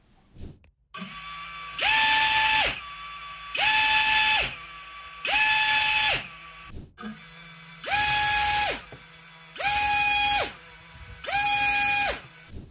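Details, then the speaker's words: 6-inch quadcopter propellers, HQ 6x4.5x3 versus Azure Power 6145, spinning in six short bursts of steady high buzzing whine. Normal propeller noise: the Azure sounds more whooshing, while the HQ gives a harder, carrying buzzsaw sound. "the Azor power has more of a kind of whooshing sound and the HQ 6X 4.5 by3 has more of a hard buzzsaw noise that carries a bit more"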